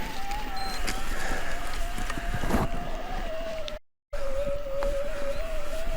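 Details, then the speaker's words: Cannondale Moterra SL2 e-MTB, size XL, about 47 lb, on a steep climb in assist mode 3. Steady mid-pitched motor hum, noticeable but not super loud, with no grinding or clicking. Normal motor under load. "it's definitely a steep climb and you can hear the motor hum it's uh noticeable not quiet not super loud but definitely there"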